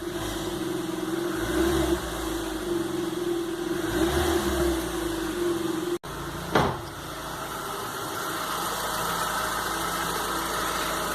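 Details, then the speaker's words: GM Onix with 68,000 km, customer reports an intermittent misfire with no check-engine light; steady, even idle for about eleven seconds with no stumbles. The misfire isn't present now, though a past fault is stored. "aí ó nesse momento eu não sinto o motor falhando"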